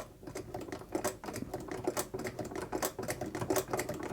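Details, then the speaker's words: Vulcan Senior child's toy sewing machine (made in England), hand-cranked test run after oiling the needle bar and adjusting substituted tension parts; quick clicking taps with no jamming as it chain-stitches: normal chain stitch sewing. "it's not jamming up it's promising let's have a look it's a chain Stitcher so I should be able to chain out or we can see it chaining there"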